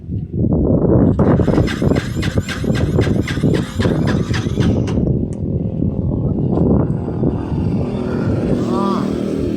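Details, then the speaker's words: Honda XR200, owner says hard to start and runs only on choke, faulty carburetor: quick rhythmic cranking pulses and starter whine for several seconds, choke off, engine never fires; hard starting. "Hindi napaandar nila kasi 'yung karburador ang may diperensya. Ngayon ah subukan natin i-start ano ayaw pa rin ah."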